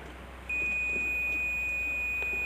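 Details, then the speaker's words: Apache stator coil rewound with thicker wire and extra turns: a continuity tester probing winding to core gives a steady high beep that should not sound, so the winding is shorted to ground; coils will be removed one by one to locate the short. "ये आवाज़ नहीं आना चाहिए। तो ये shorting है, इसको अपन ठीक करेंगे।"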